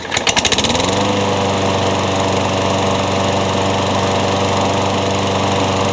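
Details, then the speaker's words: Craftsman mower after new piston rings and a replaced blade adapter: catches on the pull and settles into a smooth, even drone with no wobble or knock; runs healthy, no longer blowing or burning oil. "I think the craftsman will live on thanks to the engine from the worn-out pool on and some new piston rings so it's pretty good it's not blowing oil burning oil like it did before which is good"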